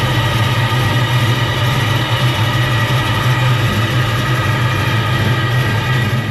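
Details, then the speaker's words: Comp Cams 1969 Camaro V8 on Driven racing oil, cold start after sitting unused a while: deep, steady rumble with even firing, no knocks or misses; clean, smooth idle. "let's listen how smooth it is with that driven race noil in there it's going to take it a second it hasn't run in a while code start"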